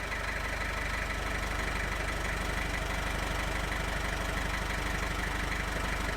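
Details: 1995 Gehl 5625SX diesel skid loader, hard-starting problem thought to be traced to glow plug relay. Even diesel clatter at idle, steady rhythmic knocking at constant pace, no misses: normal idle.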